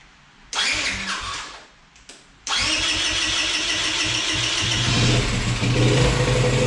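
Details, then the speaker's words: Yamaha Grizzly 80 ATV single-cylinder before rebuild: fires, settles to fast idle, then revs creep up on their own; carb running too lean despite 45 minutes of tuning, airbox off; idle surge from faulty carburetor. "And no matter what I do, I get it to run great on an idle, and then as it's sitting there, it just starts to rev out."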